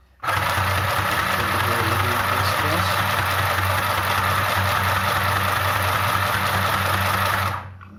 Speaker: i have lubricated uh the shuttle and i'm just going to do the stitches let's see how good uh it may stitch